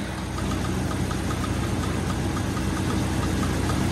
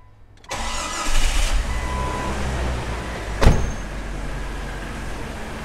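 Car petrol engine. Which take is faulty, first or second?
first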